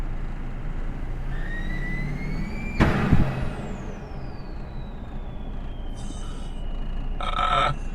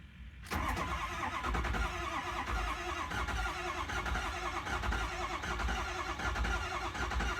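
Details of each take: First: Ford 6.0 Powerstroke diesel with new high-pressure oil pump, new oil cooler and used turbo, driving: high whistle rises with boost, then a sudden whoosh and falling scream as the upper turbo intake boot blows off, leaking boost. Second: 6.0 Powerstroke diesel after new high-pressure oil pump, IPR valve, oil cooler, gaskets and used turbo, first start; starter churns for several seconds building oil pressure, injectors and vacuum pump audible, normal before firing; later still seems to have a slight miss.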